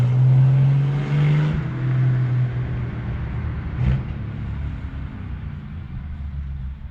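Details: 1975 Plymouth Duster Slant 6 after carburetor cleaning/rebuild and temporary exhaust with cherry bomb style muffler: deep, even exhaust rumble with a couple of light blips, no knocks or misses; normal running exhaust note.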